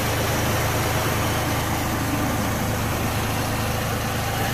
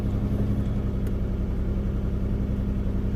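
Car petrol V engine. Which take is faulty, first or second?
second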